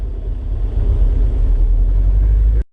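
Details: 1987 Pontiac Fiero GT with a K20 engine swap on its first drive: a deep, steady low exhaust rumble, smooth with no popping, rattles or blowing leaks; normal exhaust note.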